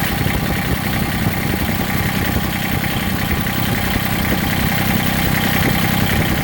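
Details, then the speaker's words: Massey Ferguson GC1710 sub-compact tractor diesel idle with an uneven, lumpy beat and shaky rhythm rather than a smooth clatter; power feels cut almost in half. Owner suspects a cylinder misfiring or not firing, not confirmed. "and if you listen you can hear it and it's I mean it's more than that I mean my power has been cut almost in half it feels like"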